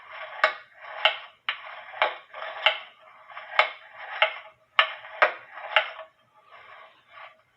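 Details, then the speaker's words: Eli Terry wooden groaner clock movement on the stand via a beat amplifier: about two ticks a second with uneven gaps between tick and tock; out of beat, leader wire touching the foot's left side, crutch needs bending left. "And I want you to see, just like I tell you in how to put a cuckoo clock in beat, the leader wire is touching the left side of what I call the foot. And because I have my beat amplifier connected, I'm going to move the leader wire, and I want you to listen for the tick-tocks."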